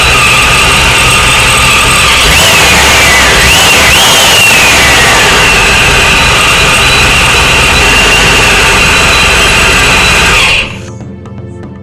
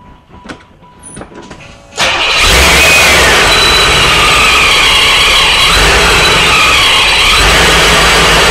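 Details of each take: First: Supercharged Corvette at its first start-up after base fuel pressure was set (target 40–42 psi, slightly rich for the supercharger): steady, even idle with a faint supercharger whine, no misses or knocks; runs healthy, though an FMU issue remains. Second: Supercharged Corvette V8 during first start-ups, after an oil cooler housing seal leak was found: constant high hiss over the idle; vacuum leak heard, traced to part of the intake.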